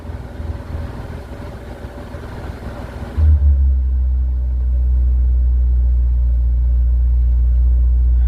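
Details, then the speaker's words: Snowbound car, cold, started with a shot of starting fluid; hard cold starting blamed on original carburetor with water-heated choke: brief crank, catches about three seconds in, then a low, smooth, even idle. Oil pressure over 60 psi, charging 14 volts. "Oh boy, this thing runs smooth too. Oil pressure's flying. Over 60 pounds."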